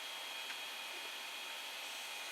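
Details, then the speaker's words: Creality Ender 5 Plus with replacement silent TMC2208 board: constant airy hiss with faint high steady tone from part cooling and hot end fans, no rattles or speed changes; normal fan noise. "it takes a second or two and then it comes on so some of the fan is the part fan noise and the hot end fan noise"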